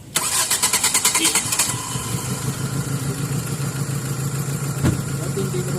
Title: HARD STARTING/GASOLINE FLOODING ISSUE, PRBLM NG GLI FRM MONTILUPA CITY DONE